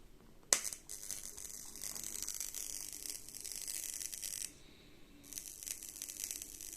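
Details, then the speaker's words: EasyAcc five-port USB charger on a two-pin class 2 mains cable, heard while charging a device: high fizzing crackle that cuts out and returns, electrical arcing at a failed solder joint; the unit is unsafe and was retired. "too slightly worrying so um clearly i'm not going to be using this again"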